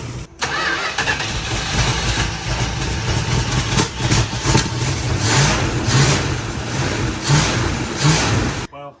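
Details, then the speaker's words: 1973 Dodge Challenger with a distributor assumed to be original Mopar, fed from a bottle: starter grinds, engine catches in ragged bursts and sputters without idling; unclear if picking up fuel or running out of the bottle, accelerator pump or carburetor possibly shot. "I don't know if this is picking up fuel or if I'm running out of the bottle. Could be the accelerator pump and the carburetor shot."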